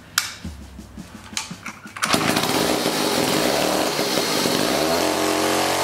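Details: 1956 Eclipse Wasp chainsaw after reed block repair, carburetor cleaning and tuning, new fuel line: a few pull-cord tugs, then catches and holds a steady, even two-stroke buzz with no stumbling; running healthy.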